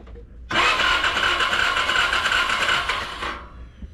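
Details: 2017 Can-Am Defender HD5 no-start, test light on ignition pickup signal while cranking: starter whirs about four compression beats a second for three seconds, never fires; no spark, coil to be replaced with OEM part.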